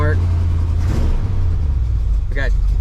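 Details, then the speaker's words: 1984 Dodge W150 V8 with exhaust reinstalled, warming toward mid temperature with decent, rising oil pressure and charging: deep steady rumble at fast idle, even beat, no knocking or slapping; normal running. "tell you what Ben wanted to fire it up and show you guys what it sounds like with the exhaust hooked up so let's do it fires right up"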